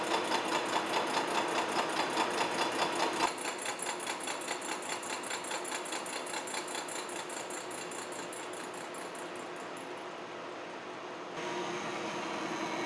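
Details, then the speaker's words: Horizontal milling machine side milling bronze bearing castings at about 0.100 in cut depth, steady rapid ticking about 2.5 per second; one cutter tooth cutting more than the others, but the finish looked fine. "sounds like we got one tooth that's cutting more than the others we'll take a look at that after this first pass"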